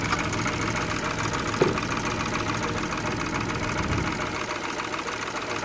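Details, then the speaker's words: 2016 Renault Twingo 1.0 petrol after clearing fault codes, with some components still disconnected: uneven, slightly lumpy idle with a faint wobble in its rhythm; rough idle, cause not yet found. "so the car is running a little bit rough at the moment but I want to sort these out before I put everything back in"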